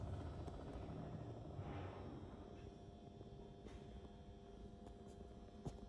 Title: Super Bad Bearings